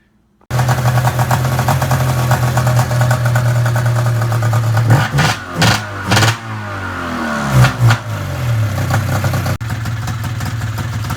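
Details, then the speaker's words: Arctic Cat ZR 440 two-stroke snowmobile, first start after rebuild, carbs not yet adjusted, power valve unhooked: runs on held throttle with rough blips and dips and dies when released; idle speed set too low. "Definitely too low. Idle needs to go back up quite a bit."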